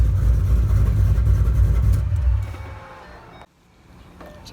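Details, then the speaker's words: Shelby V8 on E85 with GBA long-tube headers, off-road X-pipe and Magnaflow axle-backs, repaired after motor issues. A deep, even idle burble for a couple of seconds before it winds down and shuts off; runs smooth and healthy. "there you have it pretty much it sounds good runs good"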